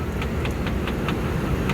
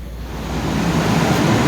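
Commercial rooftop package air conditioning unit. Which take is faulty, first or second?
first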